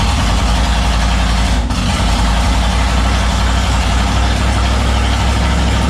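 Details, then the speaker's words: Turbo 5.3 LS-swapped Mustang: lumpy, uneven idle with a deep stumbling beat and no steady rhythm; misfire, with fueling and injector settings suspected. "you almost think like a wire wasn't on the right place or something but i checked it like three times last night so it's it seems like an idle spine"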